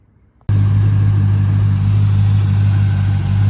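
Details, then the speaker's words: 2011 Camaro SS after reinstalling the factory airbox with a machined adapter for the vacuum line, plus an oil change. It fires instantly and settles into a steady, deep, even idle with no knocks or misses. Normal start and idle. "All right, she's running. It didn't blow out of there. Everything's hooked up."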